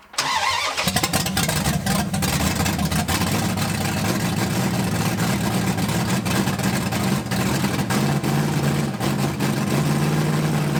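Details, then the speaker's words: 1980 Dodge short-bed big block V8 during cam break-in on points distributor, first run in 14 years; fires after short crank into loud, slightly uneven lumpy idle, rough running, points ignition suspected. "those points distributors i mean they just get a little finicky it was on a running vehicle and i don't know just wasn't happy"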